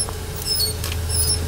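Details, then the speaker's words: BMW front wheel, lifted, turning slowly: short high chirping squeaks over a low hum that vanish when hand pressure on the wheel is removed; slight wheel bearing play lets the brake shim rub the disc. "Wenn ich den wegnehme, pass auf, Ist es weg. Ja, mal nochmal. das bisschen Radlagerspiel reicht aus, dass der da schleift."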